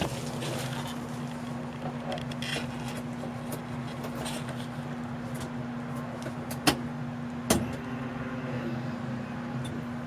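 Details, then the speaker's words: Honda Civic EF during rear disc swap build with a new Delphi fuel pump, battery just connected: steady low electric hum holds evenly for several seconds with a couple of clicks; fuel pump priming normally. "i put the battery on let's listen for the pump"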